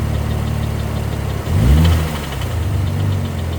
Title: 2013 Ford Flex Ecoboost engine knock noise